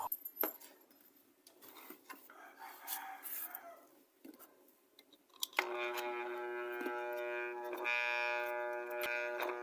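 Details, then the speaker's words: Kawasaki TCF1 submersible water pump, loud humming complaint, with corrosion on the cover and water found inside the motor: a steady buzzing mains hum as the motor strains and only barely turns, a seized bearing. "Yan guys hindi niya kaya. Umuugong lang umiikot ng kaunti."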